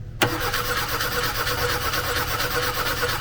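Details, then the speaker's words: Opel Kadett newly converted to a 20-year-old FuelTech RacePRO-1Fi programmable fuel injection: starter spins the engine with a steady even churn for several seconds but it never fires; spark plug wire check shows no spark. "is no spark"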